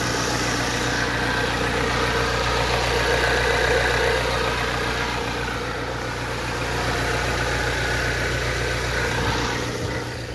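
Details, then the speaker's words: Ford Transit Connect diesel after a repair in which the pressure switch was replaced but was not the cause: steady, even idle with no misfire, stumble or hunting. Normal idle. "as you can hear she is running sweet as a nut now"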